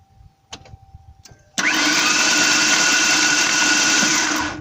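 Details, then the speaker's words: Ford Ranger 3.0L with gouged cylinder wall and coolant spitting from spark plug holes: starter spins engine fast and perfectly even like a sewing machine, no compression chug; no-compression engine needing replacement. "that sounds like you shut a sewing machine doesn't it go ahead do it again so if you ever turn your engine over and it sounds like that you're probably gonna be into it for a pretty heavy repair"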